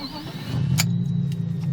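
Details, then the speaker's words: BMW E36 straight six, about 30 years old, starting before a roadworthy test: a short crank, then a quick catch and a steady low hum. It usually starts first time every time. "usually they'll start first time every time and for a 30 year old call Aina is quite impressive"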